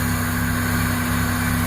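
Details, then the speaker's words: Toyota 4AFE, warm, after an ECU reset fixed a 1200–1400 rpm high idle that throttle body and IACV cleaning alone hadn't: smooth, even idle below 1000 rpm, steady low hum, no hunting or surging. "after that the idol is still not normal still not below 1000 but after resetting the ECU it did work"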